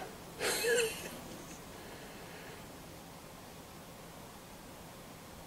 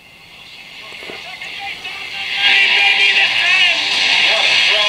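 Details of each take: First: Montgomery Ward Airline 74WG-1510A tube radio: quiet, then a loud rushing hiss and crackle. AC noise from a missing B-minus to chassis coupling capacitor, heard before it was reconnected. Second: Montgomery Ward Airline 74WG-1510A AM-only tube radio, on the bench: station audio clear and bright with no hum, crackle or hiss, playing normally while the volume-controlled noise fault is absent.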